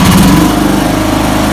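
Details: 2006 Toro Timecutter ZTR mower engine after carburetor float needle and inlet seat replacement for a fuel leak, plus new oil, oil filter, fuel filter and spark plug: small single-cylinder engine buzzing at a steady, even speed with no misses or surging; runs healthy.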